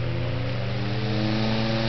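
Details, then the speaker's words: Restored 1906 Emerson Trojan 5310 12-inch two-speed fan with centrifugal start switch; a faulty speed coil leaves it running only on high. Steady, even, lawnmower-like buzzy hum moving lots of air, no knocks or scraping. Normal running; motor stays cool. "he sounds like a lawnmower out a lot of air it's a very pretty little fan"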